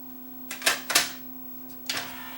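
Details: Yamaha CDC 705 CD changer after disc drawer belt replacement with a non-original belt: steady low hum with a few sharp mechanical clacks as drawer and changer move discs, no scraping; loading and playing normally.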